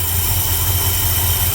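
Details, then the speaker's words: 1972 Ford F100 390FE V8 just after swapping Holley 600 cfm vacuum-secondary for Edelbrock AVS2 625 cfm carb, choke wired off, no adjustments yet: steady even low rumble at idle, no misses; idle problems appear fixed. "of the uh adjustments whatsoever that is just straight up it's started it's running and it's idling so we'll see how it goes"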